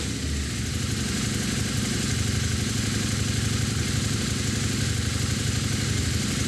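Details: Early Harley-Davidson V-Rod V-twin after Tri-Starr fuel level sender install, started to check for leaks: even idle thump about four beats a second, no misses or surging; normal idle.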